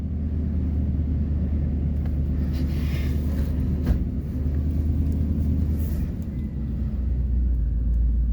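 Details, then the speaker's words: 1993 GMC Yukon SLE, 350 throttle body injection, cold start after sitting almost six months. Deep, steady V8 rumble settles into an even idle with no misses or knocks. Normal idle. "so it's been sitting about five almost six months this is my 1993 gmc yukon sle 350 throttle body injection oh it started awesome"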